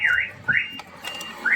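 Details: Mahindra Scorpio S5 BS6 diesel after a stone broke the DEF tank pump and line, replaced but still leaking, codes P2BA700, P2BA768, P208A00, P2BAF00, no-start in 270 km: repeated rising two-tone dash chirps; DEF system fault warning chime.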